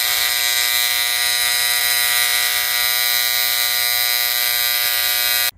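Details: AC condensing unit contactor gives a steady harsh electrical buzz for about five seconds, then cuts off sharply, while the thermostat calls for cool with 24 V applied; the contactor sticks open and needs replacing.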